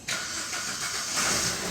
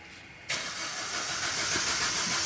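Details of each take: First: Maruti Ritz diesel with cranking-no-start, fixed by repairing faulty main relay coupler that kept disconnecting: starter catches quickly, settles into steady, even run with light hiss; normal start. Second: Maruti Ritz diesel cranking but not starting; the starter cranks steadily for a couple of seconds with a hissy whirr but never catches. Codes include actuator supply voltage circuit open and lost communication with the ECM.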